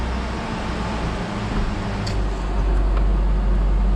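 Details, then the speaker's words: 2005 Ford Ranger 2.3 four-cylinder, first start after replacing valve cover and intake gaskets and new spark plug wires, no check engine light: steady low hum at idle, no knocks, misses or hunting; normal idle. "All right, let's see. Oh, it started."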